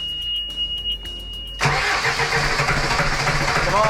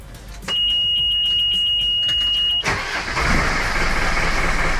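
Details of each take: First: Sailboat diesel after running out of fuel, with all fuel filters newly changed and air in the system: slow, uneven cranking that catches and stumbles without settling; lots of air bled out, air in the fuel causing the trouble. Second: Sailboat diesel engine restarted after stopping at sea, with air bled from the fuel system and an air leak at an improperly bedded filter fixed: alarm buzzer, then the engine catches into a steady, even chug; normal running.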